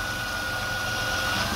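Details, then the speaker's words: High-mileage vehicle after three power steering flushes with Sea Foam Trans Tune, steering turned lock to lock at idle, heard at the pump and reservoir: only a faint even hum, no whine or groan, previously very loud. "so this sitting steel is going all the way left and all the way right and it sounds like a brand new car well not about brand new but it sounds so much better out here by the power steering pump and reservoir you're not hearing any noise"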